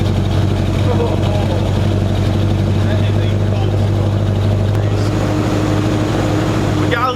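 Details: 1965 Mustang with carburetor, cold start just after a new 2.5-inch header-back true dual exhaust: deep, steady burble that is slightly lumpy and uneven, a rough idle. The cause was later found to be a misrouted PCV.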